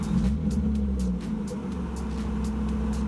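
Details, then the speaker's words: BMW E36 six-cylinder after fitting new spark plugs and securing loose coil packs. Idle holds mostly steady with light ticking and only occasional bounce, the earlier rough bouncing gone: normal idle. "it doesn't bounce anymore that was the issues it's bouncing sometimes but now it's falling perfectly I think it was the spark plugs"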